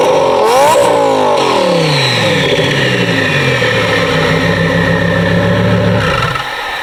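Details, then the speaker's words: 2017 Audi R8 V10, 55K miles, straight-piped exhaust with turbos fitted; free revs recorded beside the exhaust, camera off to the side; pitch snaps up, holds a loud clean howl, then drops back smoothly: healthy normal free revving. "Like, oh my God, that is so beautiful. Like, I would rather listen to this over any other sound out of any other car."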